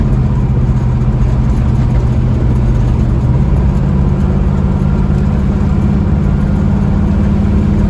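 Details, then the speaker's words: 1967 Mustang fastback (GT500 style) after valve lash was reset (passenger side had been at zero lash), on a test drive: strong, steady V8 drone pulling evenly with no misfire, tick or knock; power restored, runs good. "I say she's got her get up back to her runs real good don't it yeah"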